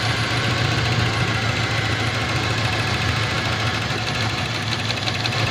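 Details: Toyota 7K engine with a misfire: lumpy, uneven idle with a low beat that keeps stumbling instead of settling; misfiring at idle.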